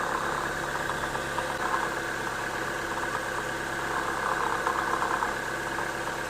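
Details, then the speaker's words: Gritty, steady chatter over an even idle with no clean knock, traced to the AC compressor pulley bearing, with no play at the pulley; greasing the bearing and refitting it cured the noise. "ребят Кто бы мог подумать что шум издаёт вот этот вот подшипник слышите давлю на"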